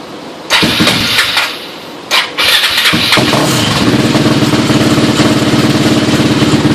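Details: Suzuki LTR 450 single-cylinder after rebuild: a couple of short cranks, then starts right up and settles into steady even idle; healthy start.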